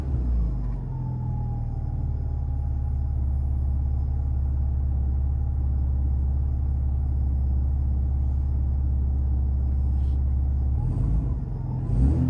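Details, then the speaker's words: Alfa Romeo GTV after rebuilt fuel pump swap: steady, deep, even engine note with a clean rev blip, no misses or knocks; pump much quieter; normal revving. "seems to be okay i think we've got it folks i think that's it pomp swap successful"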